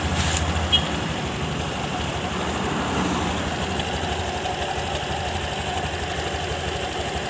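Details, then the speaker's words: Honda Scoopy scooter at idle before CVT work, owner complained of rough noise from CVT case: steady coarse, gritty rumble from belt case; roller noise heard, clutch bell (fambel) not the source. "terdengar dari bak CVT dari Scoopy ini terdengar suara ruler dan fambel tidak bunyi"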